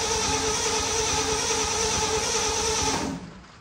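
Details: 1967 Ford F100 V8 that sat 28 years, with gasoline poured in to try a start: steady fast starter chugging for about three seconds, then it stops without firing and there is no spark; failed ignition points.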